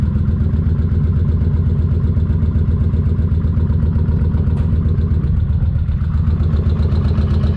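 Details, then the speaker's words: Kawasaki Vulcan 1600 V-twin idling after cam chain adjuster work: deep even idle with a fine, fast light ticking, judged to come from the front cylinder's cam chain adjuster; left ticking for now. "sounds kind of like the front one that's okay she's just going to have to tick for now yeah definitely the front from what I'm heing"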